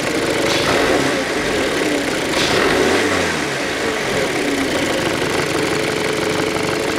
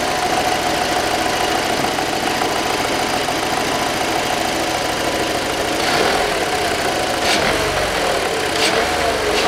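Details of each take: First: 2007 VW Passat B6 2.0 with codes P1400/P3089/P1063, before repair: engine runs with a wavering, locomotive-like hum that swells and falls with revs. EGR valve is suspected, possibly a worn tooth on its plastic drive gear; EGR valve hum. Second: 2007 VW Passat B6 2.0 after work on faults P1400, P3089 and P1063 (EGR valve and regulator): the hum heard earlier at start and on revving is gone, and the engine runs with a steady, even note. Normal running.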